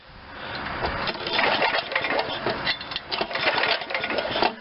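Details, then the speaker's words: Old Ariens RT7020 rototiller, Tecumseh HH70 7 hp horizontal-shaft engine, magneto kill-wire ignition: rapid uneven cranking strokes with clattery mechanical noise, never firing; spark check still shows no spark, kill switch short suspected. "i still don't see spark actually"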